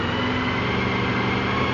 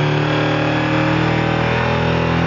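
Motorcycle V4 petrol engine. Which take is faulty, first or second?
second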